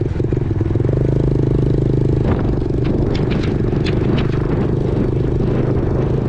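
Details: 2000 Yamaha TTR90 single-cylinder dirt bike after repairs (carburetor refitted, chain lubed), started on one kick, outdoors: starts readily into a steady even popping idle with light mechanical chatter, nothing knocking; runs well, chain possibly slightly too tight.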